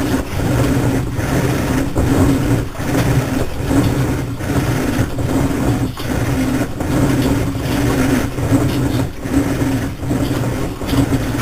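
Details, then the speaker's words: Three-year-old Whirlpool Cabrio washer running: loud steady drone with low hum and a rhythmic pulse about once a second; loud running noise. "You get to hear the jet engine whine."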